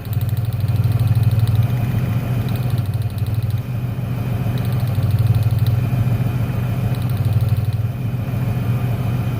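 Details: 1996 Ford Ranger 3.0L V6 lacking power, lopsided uneven idle; pulling the last plug wire leaves the beat unchanged, so that cylinder, identified as number 1, isn't firing; dead cylinder misfire.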